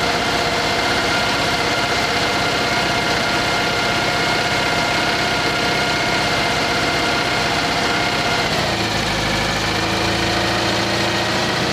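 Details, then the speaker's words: Citroen 2CV after engine overhaul and 120 miles, valve clearances just checked: steady even idle with faint light clatter and no loud tapping, speed drops and settles smoothly; valves sound quieter, normal idle. "Sounds a lot quieter."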